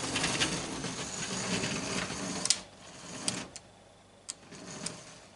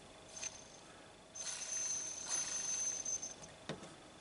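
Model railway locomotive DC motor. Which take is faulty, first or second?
second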